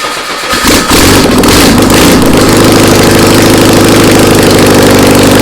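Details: Air-cooled VW Beetle engine sitting two years, on a start stand, fuel squirted into the carburettor: starter cranks, engine catches and runs unevenly at fast idle, then starves; not enough gas added.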